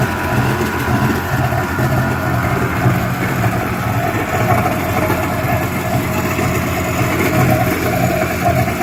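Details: Yamaha WaveRunner two-stroke after top-end rebuild with new piston and rings, running with cooling water on: steady, even drone with no knocks, rattles or misses; engine sounds healthy.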